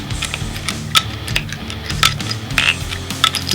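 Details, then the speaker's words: Longboard Shark Wheel with Reds bearings on Bear trucks, axle nut tightened with no bearing spacers: spinning gives a scratchy metallic rattle with sharp irregular ticks, then it binds and won't spin at full tightness; with a spacer it spins freely. "This is what happens when you don't use the spacer. That sound is where the bearings, so it's still spinning, but when I tighten it to its fullest, there's no spacers, I can't spin it."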